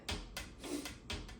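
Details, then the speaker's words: Unbranded 2003 Shell Electric box fan that won't run, turned by hand: sharp irregular ticks each revolution as a bent-in blade strikes the wiring, whose insulation looks split, and then the support. "you can hear it hitting it's uh it's it's the bent one it's bent in right so it clearly strikes there and then it strikes again down here the this uh the support"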